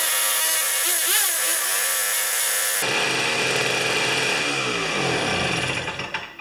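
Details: Old two-stroke snow thrower, restored after years sitting, cold start with ignition on, choke on, 3 primer pumps, mixture set slightly rich: catches at once and settles into a brisk, even buzzing run with no misses; healthy.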